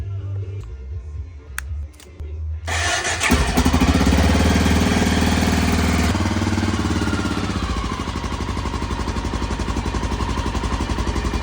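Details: Motorcycle that wouldn't start despite a good battery, after cleaning rusted battery terminals for a good connection: starter catches, engine fires, revs briefly and settles into an even steady idle; starts and runs fine.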